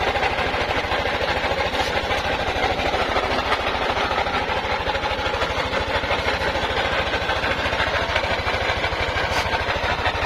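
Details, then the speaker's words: Yamaha NMAX 155 scooter idling with loud, frightening mechanical clatter over the exhaust thump, noisy for several days; owner first suspected the magneto, noise traced to a worn camshaft bearing. "Pakinggan niyo po mabuti yung ating motor at nakakatakot po yung tunog niya para pong mabaklas na po yata yung makina"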